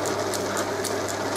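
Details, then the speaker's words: Holbrook B9 drive, motor serviced, pin fitted to take out big-end play, frame no longer rattling: steady low hum with a light regular tick about four times a second; runs smooth and quiet. "I just tension that there that uh frame isn't rattling anymore and that's running really nice so there you go"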